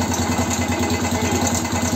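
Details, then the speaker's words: BM Motard 259 after engine rebuild, at idle: steady, even tapping that keeps pace with engine speed, something humming or knocking near the engine; knock whose source has not yet been found. "аккуратно сейчас что-то гудит или стучит что-то такое есть а что стучит"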